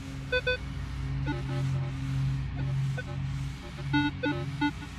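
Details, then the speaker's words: Minelab Equinox 800 detector in Multi frequency after ground balancing: irregular short beeps and warbling over a low hum, far noisier than at 10 kHz; ground chatter, owner unsure if the machine is faulty. "So I don't know if my machine is just faulty, but my multi... Can you hear how noisy that is?"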